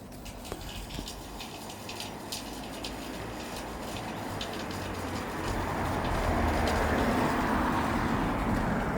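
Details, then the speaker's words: Outdoor lamp post in Portugal gives a steady airy hiss that swells over several seconds with faint irregular ticks. It sounds electrical, but the source is unknown. "Now that is coming from a lamp post. Yeah. So what do you think that noise is to me? It sounds like electricity, but it can't be because it's it it's I don't understand what's going on."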